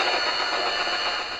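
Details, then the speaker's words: Roberts RT22 radio under restoration, switched to longwave in workshop: steady hiss and buzz with fixed whistling tones and no station, reception swamped by electrical interference. "Turn that down a bit. Noisy old thing. So much interference in here on longwave."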